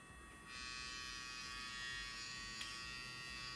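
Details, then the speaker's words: Hair clipper running: steady high buzz with coarse, slightly uneven rattle, excessive vibration; owner suspects play in the eccentric pressed onto the motor shaft, not confirmed. "Ah, well, this is probably an eccentric. It is pressed onto this. Probably, this play is most likely the reason for such vibration."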